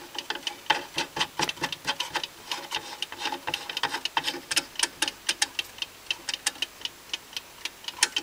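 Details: Old British Venner wind-up time switch, 15 A 250 V, possibly early 1970s, cleaned and reassembled, set to switch on for an hour: crisp, even light ticks about four a second, no catches or skips; clockwork running normally.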